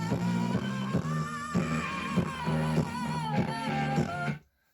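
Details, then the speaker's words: 1973 Grundig Satellit 2000 transistor radio on FM at high volume, AM bands silent: loud rock music comes out harsh and smeared, breaking up; speaker or audio stage suspected. "so as you can see it sounds as though perhaps the speaker could be faulty or if not there could be some serious problems in the audio stage"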